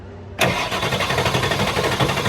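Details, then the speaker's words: Ford F550 7.3L Powerstroke diesel after new injectors and glow plugs, weak batteries that sat for months, jump-charger on 200 A start: fast, even starter churn without dragging, ignition off, refilling drained high-pressure oil system; normal cranking speed. "way better way way way way way better now right now I don't have the ignition key turned on I'm not trying to start it"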